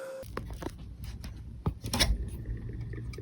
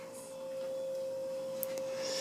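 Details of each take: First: Restored 1987 Casablanca Zephyr ceiling fan with newly replaced bearings, initially silent: later light regular ticking about four times a second over low motor hum; one new bearing turned out defective. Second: Restored 1987 Casablanca Zephyr ceiling fan with new bearings, speed four, mounted on the ceiling: clean steady hum at one even pitch, no rubbing, grinding or wobble; running nicely, normal.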